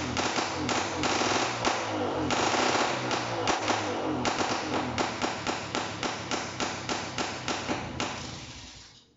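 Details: NSU Quick two-stroke motorcycle, first start after very long storage, after engine and carburetor cleaning, settings not yet right: uneven popping beat about three to four per second that stumbles and fades; rough running.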